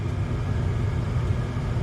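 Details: Furnace blower motor, after a new control board was fitted, was hand-spun to start and never reaches full speed, giving a low, uneven hum; capacitor or worn motor suspected.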